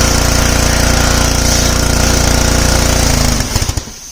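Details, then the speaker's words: Simpson 3000 PSI pressure washer, Honda GCV engine, long stored outdoors, spraying: hard steady chugging three seconds, then stumbles with weak pulses and dies under load. "That cuts out again. All right, let's try it last time. Release the pressure."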